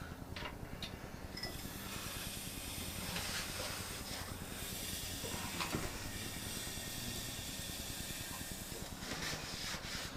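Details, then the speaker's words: Junkyard LS V8 long block during assembly, crank turned slowly by hand: a steady airy hiss rising and falling as compression from the other bank escapes past open valves. "know if you guys can hear that hissing but that's the compression from the other Bank getting out"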